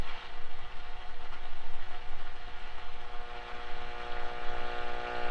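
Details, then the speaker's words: 1946 Zenith 4K035 farm tube radio, recapped, on battery eliminator, tuned lower on the band: steady low hum with hiss and faint whistling tones; noisy reception, cause not identified. "course, there's a lot of noise."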